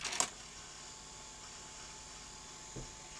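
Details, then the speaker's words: Sanyo VTC-M40 Beta HiFi Betamax VCR under mechanical check: a click, then a faint, even high whir with no grinding. Fast-forward transport is normal; the machine's start-up fault is suspected to be power-supply capacitors. "forward. That sounds okay. Rewind. Yeah, good."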